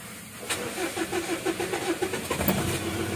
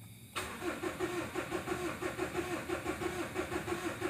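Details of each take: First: 2014 Mitsubishi Strada Triton GLS common-rail diesel, 176K km: cranks at about six even turns a second, starter a bit heavy, but won't fire; won't start unless primed with petrol. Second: Mitsubishi Strada Triton GLS common-rail diesel, previously would not start without petrol, after repair: short crank then catches right away into an even diesel idle clatter; normal start.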